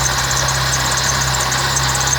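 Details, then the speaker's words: 1998 Fiat Palio with Fiasa engine, alternator belt refitted and properly tensioned: steady idle with a thin continuous high whir, not belt squeal. The noise comes from the alternator, as the customer suspected. "Aí, pessoal, ó, o barulho que faz aí, ó. Parece até barulho de correia, mas não é. É o alternador."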